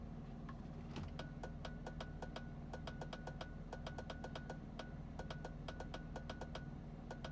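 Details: 1999 BMW Z3 2.3 (2.5 L six) idling with clutch pressed: rapid, uneven bursts of sharp relay-like clicks that stop when the clutch is released; confirmed coming from the EWS 3.D immobilizer module; also intermittent starting trouble.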